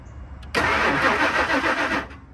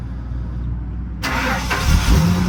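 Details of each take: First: 2000 Ford Excursion, crank no start, fuel gauge connected: about a second and a half of steady starter cranking with no firing and no fuel pressure build; failed fuel pump suspected. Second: 2000 Ford Excursion with a crank-no-start, after a connector was reconnected at the fuel tank: the engine cranks briefly, catches and settles into a steady, even idle with no stumble or knocking; it runs normally.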